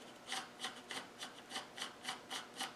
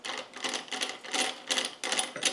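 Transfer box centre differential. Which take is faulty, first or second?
second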